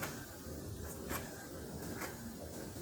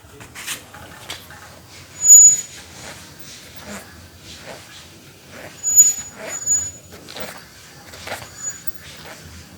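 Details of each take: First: Bicycle with mechanical disc brake after the caliper was adjusted to stop the rubbing noise: the wheel spins quietly with only faint soft ticks and no brake rub. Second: Bicycle disc brake with pad rub: short piercing squeals, intermittent "cit cit" or "kring kring", coming and going as the wheel turns; abnormal, likely just needs adjustment.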